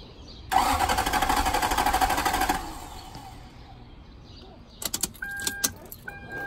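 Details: 1999 Toyota Land Cruiser 100 series that cut out while reversing and now won't start despite new fuel pump and ECU, filter, plugs, coils, cam and crank sensors, MAF and timing belt: starter churns rhythmically about three beats a second, never catches, then chimes; crank-no-start, ECM replacement pending.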